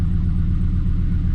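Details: 2007 Chevrolet Silverado idling with a deep, slightly lumpy, stumbling beat from a misfire; scan data shows misfire counts on cylinders 1, 5, 6 and 7.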